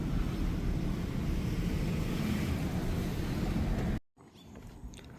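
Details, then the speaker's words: Vehicle that won't move in drive or reverse, oil just added: steady low rough grinding or screeching rumble from underneath under throttle, barely moves in second, then cuts out; driveline dragging, cause unclear. "It goes in second kind of. It sounds like it's grinding though. Reverse if I step on it. But you can hear like a grinding or or some type of screeching underneath."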